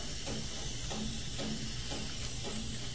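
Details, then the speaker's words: Refrigerant recovery machine that won't pull vacuum below 20: faint, steady air hiss over the direct-drive pump's low running hum, camera brought close to the top of the pump; vacuum leak at the rotating shaft seal, which could let air into recovered refrigerant. "so i brought the camera closer you could probably hear the hissing a lot better look right in this area you're going to see where it's leaking on the top of the pump"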